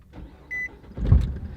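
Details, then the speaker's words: Tennessee-built Nissan Altima with about 100,000 miles at startup: a short chime, then one heavy dull clunk as the engine catches; motor mount clunk. "and as i said you can hear the clunk anyway"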